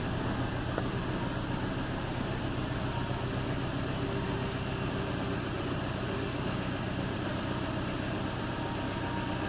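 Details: 2008 Toyota Tacoma on a cold start: the engine idles low and uneven with an irregular stumble from a misfire, checked with a vacuum reading.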